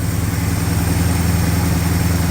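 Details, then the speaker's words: 1965 Ford Fairlane with a recently rebuilt 1978 302 V8, cold and fast idle not yet set: slow, lumpy idle with a deep, uneven beat; the choke needs more, idle speed is too low, and the plan is another quarter turn on the fast idle. "idle speed's a little low for that as well um go ahead and shut that down for a second"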